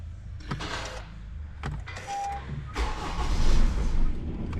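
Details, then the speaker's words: Honda CR-V, codes P0203 injector 3 circuit open and P1043 injector 3 circuit shorted; short cranking bursts, catches briefly then stumbles, cuts and drags; crank no start from open or shorted injector circuit. "ight now we've got the scanner plugged in and we've got four four fault codes but they are identical we've got p0203 and number three injector Circa open and p1043 number three injector circuit shorted"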